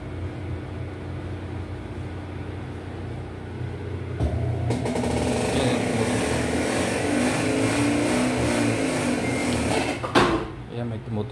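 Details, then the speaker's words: Besat fully automatic washing machine on a spin-only test, with a spin problem and noise in spin mode and a spring judged too soft: motor hums and strains with a rough rattle but the tub never spins up; the drain pump seems not to be opening and the brake stays locked. "So titingnan natin dito parang hindi nago-open din ung kanyang ah drain pump yan guys"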